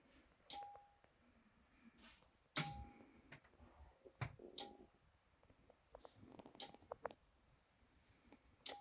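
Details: Anker Solix C1000 power station, firmware v1.5.4, in UPS mode with routers and charging cables plugged in: sharp relay clicks every few seconds as AC charging starts and immediately stops, at full and other charge levels; cause suspected, not confirmed.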